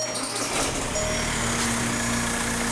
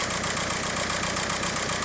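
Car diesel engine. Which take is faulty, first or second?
second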